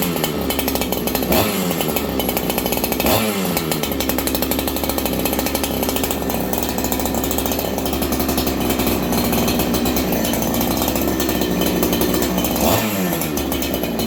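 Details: Ported clone Husqvarna 288XP chainsaw, first run, warm, with the OEM carb, low jet at one turn: high even scream with quick throttle blips returning cleanly without bog; runs strong, slight stumble off idle noted.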